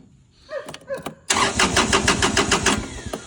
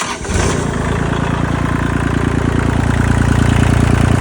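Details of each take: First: 2022 Kubota L2501 HST tractor with fuel present and safety switches checked: after a few clicks the starter spins the engine at about three and a half turns a second but it never fires; crank-no-start from a bad fuel shutoff solenoid connection. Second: 2022 Kubota L2501 HST tractor, diesel, after solving a crank-but-no-start fault at the starter solenoid: starter spins briefly, then the engine catches and settles into a steady, even chug with no knocks or misses; healthy start and idle.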